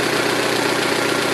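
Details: 2006 Saturn ION Redline with GMR cams and stock hydraulic lifters at idle: fast, light, even lifter tick; owner concludes solid lifters needed.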